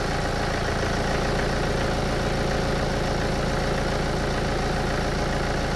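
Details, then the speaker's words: BMW F30 with N47 diesel, cold start after sitting overnight: fast, uneven metallic rattle at idle. Timing chain rattle from a tired or broken oil-pressure chain tensioner; fixed with the updated OEM tensioner, part 11318490219. "does your BMW n47 engine have a rattle on Startup especially when it has been sitting overnight it is true that these engines can have timing chain issues"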